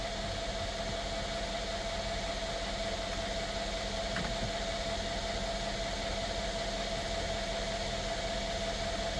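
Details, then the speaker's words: 2016 Mercedes-Benz S550 W222 V8 idling after ignition coil and spark plug service; check engine light gone, codes still stored: steady even idle, smooth low hum with faint constant tone, no misses or stumbles; normal idle. "the check engine light was also on it's immediately gone away so we're already off on a on a a a a great foot now the codes are still going to be there but the car is is a lot happier I can even hear it okay"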